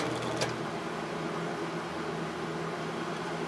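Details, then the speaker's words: Early-80s Sears box fan with plastic Marco motor that was fully seized, now running after the motor was oiled with a Zoom Spout: a quiet, even hum and soft air rush with no scraping or rattle, so it spins freely. "well it wasn't spinning at all before so yeah you can see it's pretty free now let's start it up spins just fine and all"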